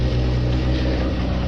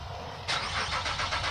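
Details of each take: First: Nissan Altima SE-R, after AC condenser and radiator replacement, idling: loud low engine idle with an uneven, wavering beat; still idles rough. Owner mentions one unfixed vacuum leak and is considering Seafoam; cause unconfirmed. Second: Nissan Altima SE-R after replacing AC condenser and radiator, coolant refilled and oil changed, jump-started on a dead battery: even cranking at about three and a half turns a second, then fires cleanly into a steady, smooth idle.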